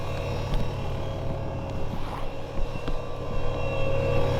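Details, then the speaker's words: Ford Mustang S550 V6 with new turbo kit, first run on new tune during data log: loud, steady electric whir over lumpy idle, unchanged with engine; turbo oil pump noisy but working. "I'm sorry if you can barely hear me because their oil pump, as you hear, is extremely loud, but it's doing its job. It's keeping that turbo live, it's keeping that engine live."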